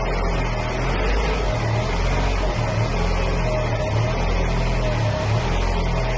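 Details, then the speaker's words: 1993 Mercedes-Benz 124 E220 coupe, four-cylinder, idling right after fuel pump and water pump replacement: steady smooth idle, and the earlier front bearing noise is gone. "And as you can hear the bearing noise that we heard before is now gone."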